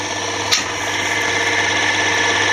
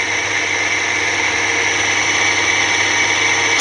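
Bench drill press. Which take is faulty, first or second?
second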